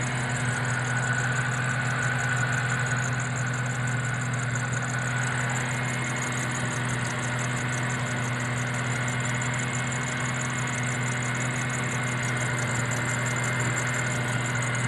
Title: jrsc belt squeal